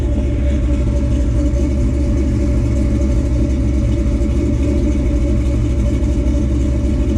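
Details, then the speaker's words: Fully built 1957 Chevrolet Bel Air small-block V8, about 500 hp estimated, MSD ignition, old exhaust, three-speed automatic: deep, steady, full exhaust rumble with no misfire or knock; normal healthy revving. "makes about 500 horsepower estimate and give or take MSD ignition good old small block she likes to rip that's for sure"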